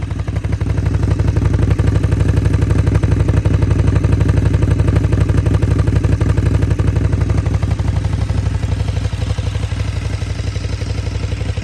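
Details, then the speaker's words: 2014 KTM Super Duke 1290R V-twin with over 57,000 km, at idle with the SAS removed: a steady light metallic rattle on every firing pulse, about four a second; owner suspects the valve stems, cause unconfirmed. "Those rattles. We've got to get into these and find out what the story is with these valve stems, I think."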